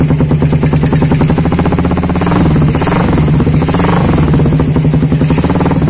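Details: Suzuki Satria FU with a WRX K3 exhaust, before the glasswool packing is replaced after about eight months of use: fast, sharp, raspy popping at a brisk idle with a tinny edge. Worn, burnt-out silencer packing gives the raspy exhaust.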